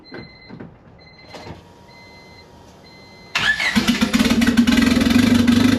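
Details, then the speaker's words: $500 Honda Civic (manual swap, Hondata) on first start after a budget turbo build with a ported T04E, downpipe pointing straight up: quiet until the starter catches, then it fires straight up and revs freely with a strong steady note, running healthy. "oh SS pretty goody actually ran really good guys I'm super happy with it"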